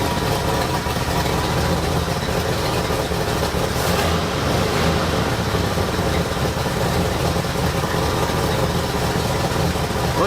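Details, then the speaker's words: 1973 Ford Ranchero V8 at idle with a replacement knock-off carburetor (old Motorcraft 2150 swapped out): lumpy, uneven low rumble with no crisp beat; timing light shows about 5°, so rough idle from retarded ignition timing. "like it's sitting at about 5° they could use them a little bit more"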